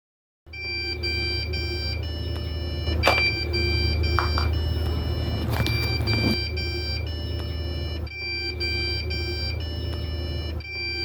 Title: Quick fix constant beeping sound on your desktop #fix #pctutorial